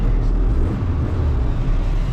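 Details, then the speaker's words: 1992 Vauxhall Cavalier Diplomat, recently back on the road after sitting about three years. Weak start, possible crank sensor suspected. Deep, even idle rumble with a steady beat, no missing; running on all cylinders, sounds good. "we're not in three cylinders sounds good"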